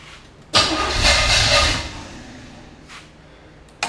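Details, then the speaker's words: Chevy 5.7 SBC in a 1980 Camaro, first start, with the distributor at maximum advance. A short crank catches into a loud, brief burst, then dies; hard starting, likely from timing, and the owner later switches the plug wires. "so yeah well it cranks a little bit hold on and again"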